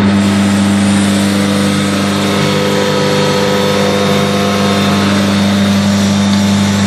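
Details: Very old 1.4 kW electric motor, first startup after 40 years, run on a Steinmetz circuit; steady even hum with firm low tone, no knocks or rattles: normal running.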